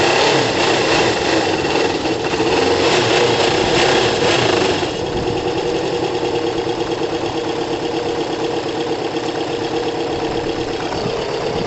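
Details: Kawasaki ZL600 cruiser after carb rebuild and balance, new coils and valve clearance adjustment, warming up on about 3 litres of fuel (reserve): settles from faster warm-up speed to smooth, even idle, no exhaust leaks; engine sounds great.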